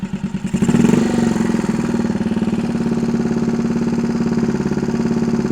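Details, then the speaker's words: 1964 Honda Super Cub CA102 after a full top-end rebuild, hand kick-started with good compression; a couple of quick throttle blips, then a steady, even putter at idle with no misses or knocks. It runs well and no longer smokes heavily. "I guess that's a win um and tell you what it is doing it's running really good"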